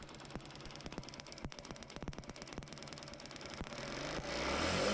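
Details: Motorcycle kick-started with a homemade CDI unit (BT151 SCR, 1N4007 diodes, 100 ohm resistor, 1uF 400V capacitor) fitted in place of the original: catches, then a steady beat of about four firing pulses per second settles into an even idle with no misses.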